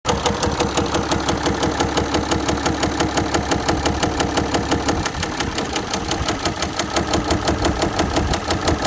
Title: it was rod knock #automobile #timetowakeup #mechancial #car #audi